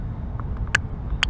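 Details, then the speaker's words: Volvo 2001–2009 (S60/XC90/V70) camshaft VVT solenoid, cold and outside its housing, bench-tested by wiring to ground and the alternator's red-wire bolt: two crisp, loud clicks about half a second apart; solenoid switching properly. "one is properly working you hit much louder because this guy is cold and also it's outside the housing so it's it's a bit noisier but that's how you check them"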